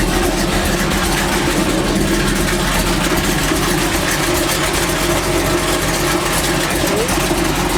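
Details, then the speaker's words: 1984 Chevy C10 V8 truck at idle right after the tapping-noise fix, still warm: steady, even idle with a busy exhaust note and no tapping, engine sounds healthy; normal idle. "this truck will surprise you all right hopefully crack this back up and it's quieter hopefully"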